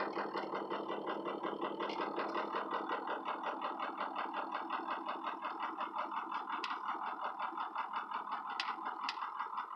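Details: Ford 6.0 Powerstroke diesel with no power and no codes: really rough, uneven lumpy idle with chattering clatter near three beats per second, no response from accelerator pedal; Torq Pro shows VGT at 85%, smoothing near 2,000 rpm as VGT drops to about 45%.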